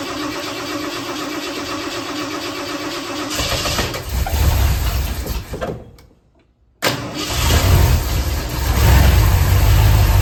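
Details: 1976 Ford F100 with freshly built 351C engine, first fire-up after install, radiator filled: cranks and fires into a heavy, lumpy low rumble, cuts out briefly, then restarts rough and lazy; ignition timing is a bit low and needs adjusting.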